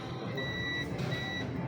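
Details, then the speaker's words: Mademsa washing machine that drains water straight out: a multimeter continuity test across the control-board triac (code 204…) beeps in steady repeated bursts, so the triac is shorted. "there we have The tre and I don't know if you can hear it and it keeps ringing."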